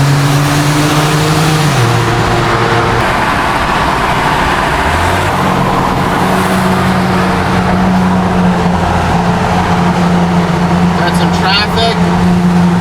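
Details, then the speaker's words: Car with exhaust leak (X3) driving through a Montreal tunnel, third gear down to second: raspy puffing exhaust note from the leaking exhaust, owner says it should be fixed. "What my exhaust leak sounding X3 sounds like through the tunnel. So Montreal. Probably should get it fixed."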